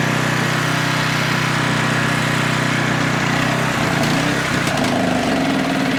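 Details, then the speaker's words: Older Tecumseh generator being tuned, mixture richened, running at 62 Hz: steady at first, then the note sags and wavers around four seconds as it starves for fuel through a restrictive paper fuel filter. "So, what's happening now is it's running out of fuel cuz there's a paper filter."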